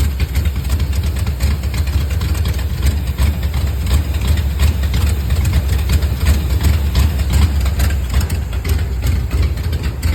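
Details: Camaro with a small-block Chevy 350 at idle: deep, lumpy choppy idle with uneven pulses and stumbles and a weird noise; cause unknown.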